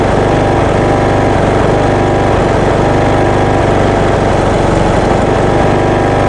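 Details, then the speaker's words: Craftsman ride-on mower, 21 hp Briggs & Stratton engine, after head gasket replacement, carbon cleaning and new spark plug (previously smoking heavily): steady, even single-cylinder putter at fast idle, no misses or knocks; normal smooth idle. "I'm happy with the way that it runs and starts and idles, of course. It's idling quite smoothly."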